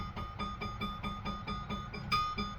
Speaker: And tip number 3 is keep tension on the blade. You can kind of hear